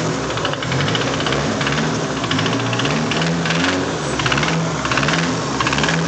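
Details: Nissan SR20DET engine, installed and knocking the next day at idle: heavy, deep knocking in a steady beat with engine rotation; rod knock.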